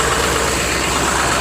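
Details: Diesel Rhino with a slow, hard cold start in chilly weather, fixed with new glow plugs: after a cold start on one glow plug cycle, steady, even idle clatter with no misses, knocks or stumbles; the engine cranks well and idles smoothly.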